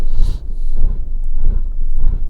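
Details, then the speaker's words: Salvage-auction 2011 Fiat 500 1.2 Lounge at idle, sensor just disconnected and reconnected: heavy low thumps about every half second, rocking and shaking the car side to side; rough idle, cause unconfirmed. "let's disconnect that for a minute now i want to reconnect it's like being in a roller coaster the way it's vibrating from side to side"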